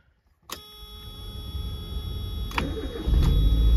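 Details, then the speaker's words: 30-year-old Mazda MX-5 Miata NA8 after ECU capacitor replacement: loud start, cranks briefly and catches straight away, then settles into a steady, even idle with only typical slight wander, no misses or stumbles; normal start and idle. "um and that typical Idol Wanderer on a car that's 30 years old is pretty typical um it's not really wandering too much it never really did it's about normal so let's let's start it back up again it's loud"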